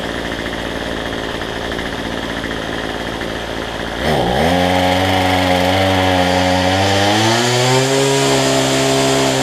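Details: Cheap two-stroke weedeater number 3 after a new $6 replacement carb with the correct gasket orientation and fuel lines fitted: quiet about four seconds, then catches and settles into a steady, even buzz that climbs slightly with throttle; running fine.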